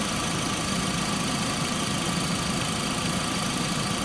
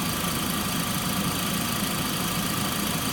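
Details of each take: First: Stethoscope held to the water pump pulley on a running engine with a whine that turns out to be from the alternator pulley: steady even hum, no whine; normal water pump pulley. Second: Engine idling, heard through a mechanic's stethoscope moved from the A/C compressor to the water pump to the alternator: faint constant high whine located at the alternator pulley, always heard under load.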